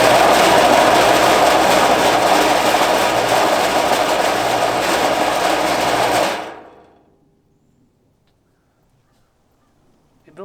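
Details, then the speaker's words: Air compressor inside an enclosing box, used while reviving a 1964 Ford Thunderbird, after adjusting pressure control valve: harsh, fast rattling clatter about four per second, loud and steady for six seconds then cut off; loud rattling, cause unknown. "it is the loudest compressor I've heard in my life I've heard a lot of big compressors but this one uh sounds like it's going to Rattle itself to death but maybe it'll live long enough to get air in some tires"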